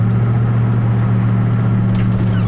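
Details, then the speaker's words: 2004 Ford F-150 with a newly installed 9.75-inch rear end, road test at cruise with the window up: steady low cab drone with no whine or howl rising with speed; the rear axle is quiet. "I put the window up. Give you the same conditions you had before. It's nice and quiet."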